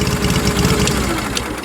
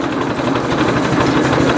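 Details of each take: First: Fired right up but idles low and loping with uneven thumps, sounding like a Harley. Cause not identified. Uneven lumpy idle. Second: Ford 800 tractor at a slow idle of about 600 rpm after the leaking fuel valve was replaced; the owner notes it burns oil. Very low, even putter with steady, evenly spaced firing and no misses or knocks: a healthy slow idle.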